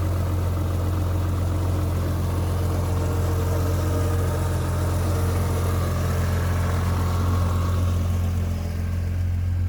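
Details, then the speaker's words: Rover 800 V6, about 85,000 miles with full service history, first start after standing unused for years: smooth, steady low hum with no misses, knocks or ticks; normal, even idle. "running on stealth Fuel and it's she sounds cool that's beautiful it's not even like"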